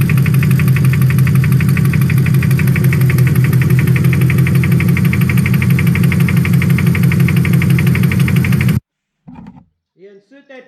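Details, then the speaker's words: Lexus 1UZ-FE V8 after starter motor replacement, noise from bank 2: heavy violent hammering knock about three per second at idle; debris fallen into a cylinder hitting the piston, not scissor gears. "This one didn't sound like scissor gears, sounded like an angry man inside with a great big hammer."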